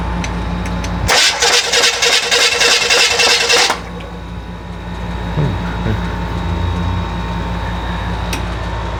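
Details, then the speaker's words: Rebuilt FC engine, first start attempt: about three seconds of fast, even cranking with no firing, then it drops off; fuel pump not running because its wire was partly off, so no start. "Sure the fuel pump's on? I don't think the fuel pump's on for some reason. Would it No. be buzzing all the time or no? Should be. I don't feel it. Like, I You don't don't? hear it."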